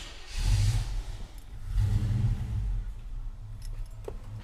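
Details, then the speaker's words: Engine with a newly installed throttle body injection system, first start with the IAC pintle seated and unplugged: it catches, then sags to a shaky idle of about 450–460 rpm that barely holds because the throttle plates are too closed. "throttle plates are too closed. So, we're going to get back to this. My snap-on timing light, as you can see, has a tachometer on it, and you can see it's at 450, 460. I'm surprised it's even idle"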